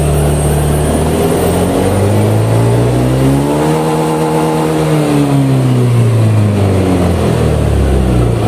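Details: Honda Beat fuel-injected scooter after new throttle body and TPS sensor set (fault was the TPS): full-throttle rev climbs cleanly to high revs and falls back with no stumble or hesitation; hesitation fixed.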